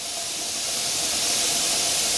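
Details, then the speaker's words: All-American pressure canner venting before the weight goes on: steady loud high hiss rising as pressure builds, jars rattling inside; normal 10-minute venting. "can hear the steam as well as see it okay guys things are really going crazy in there now if you can really you can tell the difference in the as it's a building pressure in there"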